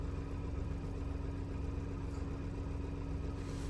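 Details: Car engine idling during an OBD2 scan that reads no fault codes. Steady, smooth low hum with no ticks or misses; the engine runs evenly and healthy.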